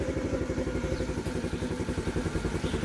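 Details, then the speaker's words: TaoTao 50cc scooter, 3,693 miles, bought non-running then fixed: won't idle, bogs when throttled; small engine pulses in uneven stumbling beat and sputters about to stall; carburetor suspected, replacement carb planned. "And it's sputtering. It's about to die. Yeah, and it's dying on me."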